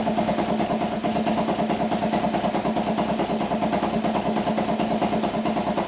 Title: Hard Start Harley.wmv